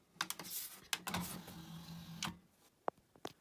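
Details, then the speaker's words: Technics SL-PJ28A CD player with Philips transport, non-working, just after laser cleaning: sharp irregular metallic clunks over a low motor whir as the laser sled hits the back end stop while reading the disc's table of contents; the centre position sounds different. "When it's clunking about, it's obviously hitting that back part. Makes a different sound on the centre bit, but the back has definitely got that loud metallic sound."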